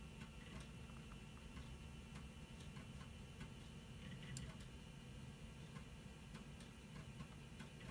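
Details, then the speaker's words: Windows 98 PC floppy drive reading a disk that earlier failed to format: quiet, regular head-stepping ticks over a faint hum; floppy drive reading normally. "so you can hear the computer is reading the floppy disk"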